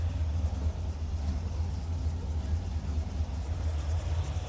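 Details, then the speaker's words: 1981 Corvette V8 after rocker nut repair, running about 10 minutes, no leaks: steady even low rumble, no ticking or knocking, quieter than before, one puff of smoke; normal idle. "still sounds good no noise and the best part is except for that puff of smoke don't worry about that I'm happy real happy"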